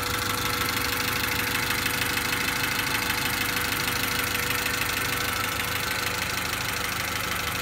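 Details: 1991 Honda Accord after head replacement, zero compression fixed by oiling cylinders (now 60-110 psi): busy but regular idle about three beats a second, even and unbroken, no misfire; settled into steady idle.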